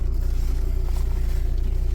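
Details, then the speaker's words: Audi A6 C6 TDI diesel idling after a crank-no-start fix: water found at the ECU location, relays replaced. Deep, even thrum with steady, regular pulses and no knocks or misses; normal diesel idle. "You can probably hear it running in the background."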